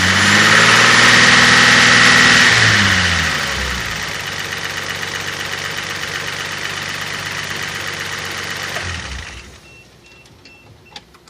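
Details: Toyota 5MGE petrol engine revs then settles to idle with a steady, fast tapping/clacking running through it; cause unknown, owner unsure whether lifters, knock or piston slap.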